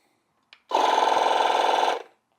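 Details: AutoOne 10000A jump starter's built-in air compressor inflating a soccer ball to 9 psi: short burst of steady buzzing pump chatter with an even rhythm from start to stop; running normally.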